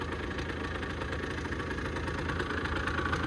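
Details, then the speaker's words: 2008 Rieju RS50 Matrix two-stroke, 6,800 km, owner suspects slightly rich mixture, electric start still faulty: steady even idle, no misses or knocks, not much smoke; normal idle. "But yeah, idling fine, not blowing tons of smoke, everything seems okay."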